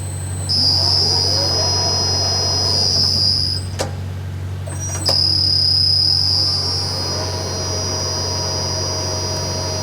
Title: 40 Ton Overhead Crane Making Odd Clunking Noise